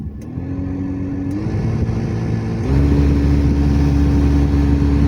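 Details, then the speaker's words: Hyundai Grand i10 AC blower: steady humming whine stepping up in pitch with each fan speed change, from debris lodged in the blower motor; fix is opening and cleaning the blower motor. "सुने guys ये आवाज आ रही है और यह आवाज आ रही है ब्लोअर मोटर से। इसमें कोई कचरा वगैरह फंस गया है। उसी की वजह से ये आवाज आ जाती है।"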